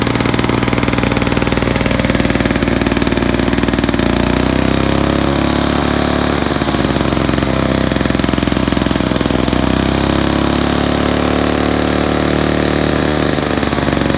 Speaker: I think we have ourselves a running old Victa Australian-made mower.